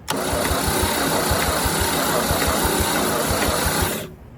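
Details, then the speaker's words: 1950 Chevy 3100 truck six-cylinder, starting fluid sprayed in intake: steady cranking about three beats per second with a brief ragged catch that dies; nearly fired but won't run, starter possibly overheated and not engaging. "All right, well, we're gonna let it cool off a little bit, that starter. We might have just cooked the starter because I can't get it to engage at all. She pert near just about fired."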